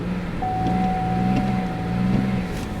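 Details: 2004 Pontiac Grand Prix GT Wide Track, 135,000 miles, sold as a non-runner with a suspected failing throttle control module; it idles and revs. Each throttle blip climbs and settles with a faint steady whistle, clean response.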